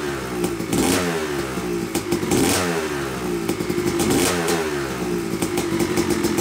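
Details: Yamaha YZ250 two-stroke motocross bike (250cc/270cc) after year-long full engine rebuild (bottom end, transmission, bearings, clutch, power valve), first start-up after a few kicks: crisp crackle, revs blipped repeatedly and falling back cleanly; break-in smoke normal; healthy running.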